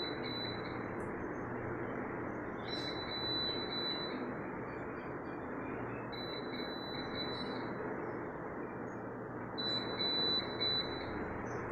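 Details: Crompton BLDC ceiling fan: short high-pitched beep bursts repeating every few seconds over a steady background hum, the fan controller signalling a fault.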